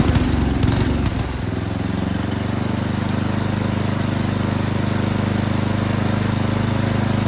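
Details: Yard King snowblower that would not start, small engine at full throttle with choke on, bursts into life, hunts unevenly, then settles into a steadier faster beat as the carburetor mixture screws are adjusted; carburetor was not tuned correctly.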